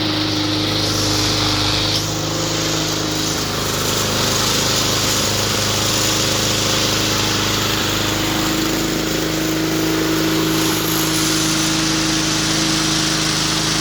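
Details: 2004 Cub Cadet Cyclocut mower, Kawasaki 179cc ~5.5hp, running with homemade air filter manifold; constant even drone at steady speed, no surging, misfires or knocking; normal running.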